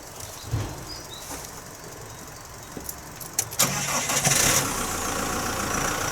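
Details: Chausson motorhome, first start since January after battery charged about 10 minutes: engine cranks briefly, catches and settles into a steady, even idle with a hissy background; clean start, then left running.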